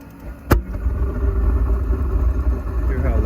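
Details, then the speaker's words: Five-year-old Suburban NT-20SQ RV furnace failing: a sharp thump at light-off, then a deep, steady roar far louder than normal; cause still unknown. "so it's running for a while sounds real loud after about shoot only like 15 seconds it just went out the flame went out so the heater's gone haywire on me"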